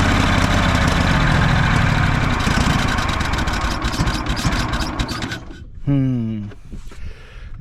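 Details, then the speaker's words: Craftsman DYS4500 lawn tractor run after several years sitting, on choke. Battery had likely died from the key being left on. Runs unevenly with a rapid, irregular thump that sags before cutting out, seemingly starving for fuel. "sound like it was trying to pick up fuel there at the end."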